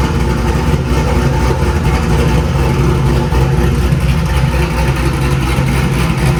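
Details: Cammed 2000 C5 Corvette after new crankshaft position sensor (previously needed cranking twice to start): clean start then deep, lumpy V8 idle, steady and even, no misses or stumbles; normal idle, sensor fixed issue.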